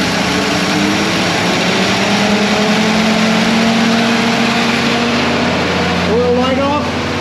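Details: 1965 Ford Ranchero, first start after a new cam, lifters and timing chain to cure a valvetrain tick: catches and settles into a steady, even run, then revs cleanly with no ticking or knocking; normal running.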